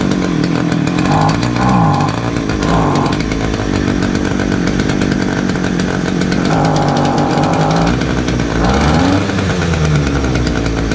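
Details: Titan two-stroke petrol multi tool strimmer, started on choke indoors after new fuel lines and new spark plug; steady buzz with throttle blips rising and settling cleanly, some smoke, runs well.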